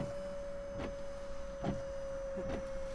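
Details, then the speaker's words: 1968 Lincoln Continental after Volvo electric power steering pump conversion, ignition on with engine not started: steady high-pitched "spaceship" whine with soft rhythmic thumps about every second; pump works normally, wipers run off power steering. "Yep, so you should hear wild spaceship noises. And again, the car's not started, but since the you know, the wipers work off power steering, there you go."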